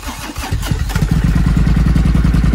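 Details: Triumph Thunderbird 1600 motorbike that blew fuses on every start attempt, after replacing the fuses: fuel pump audible, brief starter whirr, then catches and settles into an even, steady low idle; starts cleanly.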